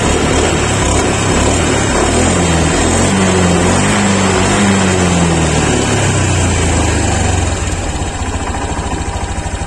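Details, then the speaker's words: 2023 Honda Beat Deluxe after eight months' use, fuel filter cleaned so the cold-engine sputter is gone: steady idle with light knocking about three times a second; loose CVT roller sliders needing shimming or replacement. "Suaranya udah nggak berebet, tapi ada ngokloknya sedikit. Itu perlu bongkar bagian CVT dan melakukan pengganjalan di bagian pislet."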